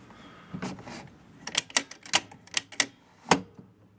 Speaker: let's check the score real and it works